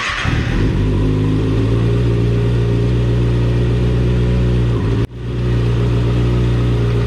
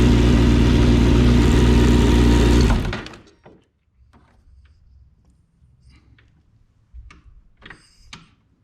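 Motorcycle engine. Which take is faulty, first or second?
second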